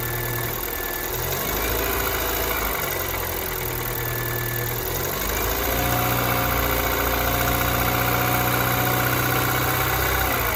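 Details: Kia Ceed 2nd generation 1.6 engine at cold start idle: fast, fairly regular tapping over the engine note, about three or four a second; engine knock when cold, cause not identified.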